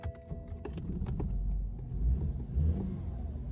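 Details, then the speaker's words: 2013 BMW 320i F34 with the N20 engine, reported misfire: the petrol engine idles lumpily, surging and dipping unevenly; leaking direct-injection fuel injectors are suspected, unconfirmed. "And essentially what I'm going to do is bring it in, because it's got a misfire apparently. It's running like a bag of spanners. So let's fire it up. This is lumpy as hell."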